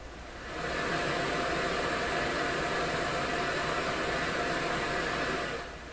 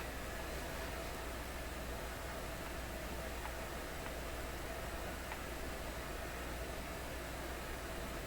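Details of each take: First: McIntosh MR71 tube FM receiver, just out of storage and powered up cautiously on restricted power, no antenna connected: even, steady inter-station hiss with no crackle or hum; receiver sounds normal, though muting doesn't remove the hiss. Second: McIntosh MR71 FM receiver brought out of storage not working, powered up with a hanging wire antenna and muting out: only a steady even hiss with a faint low hum and no station received; cause unknown, he wonders about his own setup.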